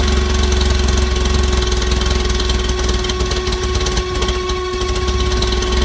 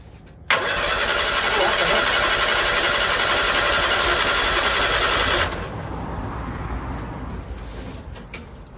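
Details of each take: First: 1964 Bedford CA panel van not run for about 10 years, rotted exhaust: loud, rough-edged running with a steady low drone and heavy exhaust roar; engine keeps going evenly. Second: 1964 Bedford CA panel van, unrun about 10 years, big battery: starter cranks evenly about four beats a second but never fires; sounds like no spark.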